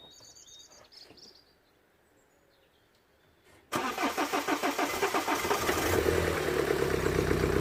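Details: BMW 118d diesel that cuts out under load, ECU codes pointing to fuel supply: quiet, then steady starter churn at about four turns a second dragging on before the engine barely catches; extended cranking, slow start.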